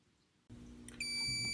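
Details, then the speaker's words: Fire-Lite MS-9200UDLS addressable fire alarm panel resetting after PS-Tools programming: a soft clunk, then a steady, unbroken high-pitched beep, the panel's normal restart tone. "so the panel just reset but what it doesn't know yet is that I have some issues I need to change the clip settings"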